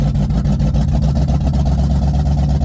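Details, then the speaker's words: Ford Mustang V8 with automatic transmission welded back together after breaking in half, driven from cold with no warm-up: loud, rough open-header sound with uneven, lumpy exhaust pulses under load; misfiring, cause not confirmed. "Sounds like it's misfiring for sure."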